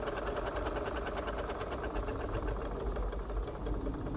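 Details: Restored Wilesco D32 model steam engine with new control panel, low running pressure: rapid, even chuffing and ticking at steady pace, no knocks or stumbles; normal smooth running.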